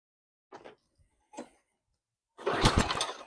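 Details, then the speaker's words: Walk-behind lawn mower pull-started after carb cleaner was used, governor and throttle linkage free: it fires on the second pull, sputters about a second and dies. It may need a carb clean. "No, that was good. Second pull. It fired off."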